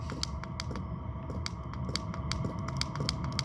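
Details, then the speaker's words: Chinese diesel air heater mounted in a toolbox, running on low then heat turned up: light sharp pump ticks about four a second over faint fan hum, coming closer together as heat rises; normal fuel pump metering. "hear that fuel pump start to increase starting to hear it increase"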